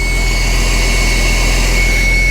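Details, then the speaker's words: Porsche 996 911 Cabriolet started just after an alternator replacement (charging just under 14 V), out of gas and with no coolant, run only seconds: loud steady whir with a high tone over low idle rumble, the secondary air pump (called injection pump) running at cold start, normal. "I forgot all about that injection pump running right there."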